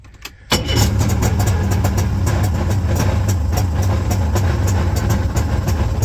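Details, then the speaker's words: Old Ultranautics Jetstar jet boat engine, being revived after years unused, running from a jerry can while fuel priming is troubleshot: catches and settles into a lumpy, uneven low idle with off-beat pulses, judged to be running on one cylinder. "here that's running on one cylinder I seen the filter empty out okay that's good"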